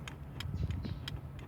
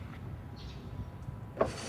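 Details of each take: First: 2006 Ford F150 5.4L 3V 4x4, driver's front window: down works, but pressing up gives only about four dry switch clicks with no motor hum; faulty master window switch, which sometimes grabs if pressed hard. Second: 2006 Ford F150 5.4L 3V 4x4: passenger and rear power windows run smoothly down and up with a switch click each press, working normally; only the driver's window, with its faulty master switch, has trouble.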